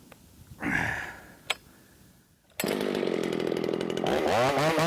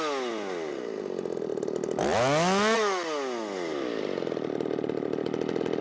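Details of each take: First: Ported Shindaiwa 757 chainsaw with flat-cut muffler mod, after a timing advance with no jetting changes: a sharp blip, then a high, steady scream that holds up in big wood, revving higher than before; a normal high-rpm cut. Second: Ported Shindaiwa 757 chainsaw, 24-in bar, 8-pin sprocket, low-speed mixture leaned out: high revs sag and drop pitch mid-cut then recover; flat-cut muffler mod outlet pressed against the log so it can't breathe.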